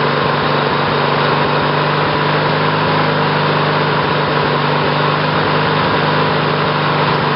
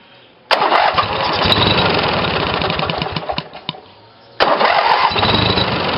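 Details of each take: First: Briggs & Stratton 18 hp twin vertical-shaft engine (model 822707), first run on new battery ignition with GM LS2 coils triggered by failed magneto; settles into steady fast even buzzing run; new ignition seems to work. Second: Briggs & Stratton 18 hp twin vertical-shaft engine (model 822707) on new battery ignition, two GM LS2 coils triggered by failed magneto; fires at once, runs evenly, stops, restarts cleanly; normal starting and running, ignition working.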